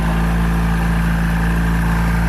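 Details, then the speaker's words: 1970 Honda N600 microcar, twin-cylinder, just started on choke in neutral with a weak battery after carburetor work: deep, steady, even burble with no hunting or missing; clean healthy idle, may still need fuel-mixture adjustment. "Oh, there we go. It's running. Wow, that's the stuff."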